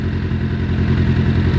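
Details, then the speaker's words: Suzuki Bandit 600 under crash repair, choke off after brief warm-up, running after oil and filter change on a jumper box; low throbbing idle with uneven pulses and occasional stumble, owner doesn't think headers are blowing, cause unclear. "I don't think it is. It's just a wee bit spluttery. I don't know why that is."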